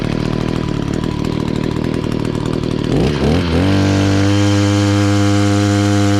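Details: Echo SRM-266 two-stroke string trimmer after carburetor replacement (it had kept bogging down): buzzy revs, then settles into a steady, clean, even tone without bogging; running properly.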